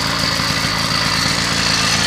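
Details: 80cc two-stroke motorized bicycle idling steadily with an even rapid buzz, no surging or hunting, after clutch assembly regreased and retaining nut tightened; clutch no longer grabbing and stalling it.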